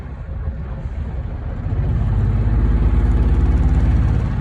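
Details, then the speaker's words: Outboard on a previously sunk project boat, first run on water, owner smells bad gas: uneven stumbling beat about three pulses a second under wind noise; engine sputtering, cause unconfirmed. "Sounds like she's sputtering a little bit."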